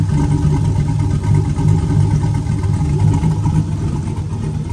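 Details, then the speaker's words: Turbo 4.8 V8 with Elgin 1838p Sloppy Stage 1 Trick Flow 216/220 cam, warm at running temperature, idles steadily with a low, lumpy, slightly choppy exhaust beat; normal and even, with a belt chirp noted. "it's got a little bit of an exhaust notes to it but it ain't very you can you can only hear that little baby chop out of the pipe no there's nothing super noticeable"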